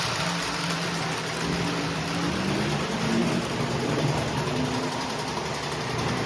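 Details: Postwar Lionel 671 turbine toy steam locomotive (686 steamer, 671W tender), after 25 years in storage, then cleaned, overhauled and adjusted with smoke fluid added, runs 2–3 minutes: steady even whirring hum, no catches, knocks or surging. Normal running.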